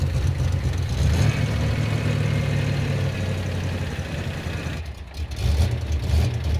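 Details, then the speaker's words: Freshly rebuilt 305 V8 in 1985 IROC Camaro during break-in: low, lumpy idle surging and sagging, nearly stalling, with too much ignition timing advance; engine settles once timing is turned down. Rough idle from over-advanced timing. "what's that vapor lock no too much timing oh start it oh hold on it's going to die cuz I just turn the timing down and it's now okay"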